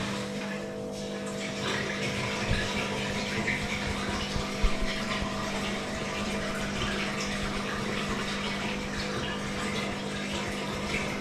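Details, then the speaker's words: 2009 Samsung WW7708N6W1 washing machine after drain pump replacement: even, steady pump hum with water rushing through, no rattle or grinding; drain pump emptying the drum normally. "it's draining properly. You can hear that."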